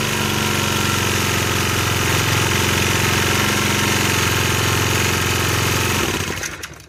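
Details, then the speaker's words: 1965 Honda E300 generator after spark repair, running at low throttle: the small single runs steady and even with a regular beat, then shuts down cleanly. Normal running. "Alright, it doesn't really produce power down that low, but it sounds good that low."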